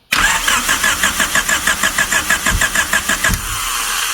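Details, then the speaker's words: 1999 Honda Civic EK hatchback, long-stored, cranked via starter jumped to battery with distributor loose: starter churning with sharp popping backfires and a brief catch; backfiring while cranking, owner unsure if timing or firing order is wrong. "All right. I can hear some like backfiring. We'll see."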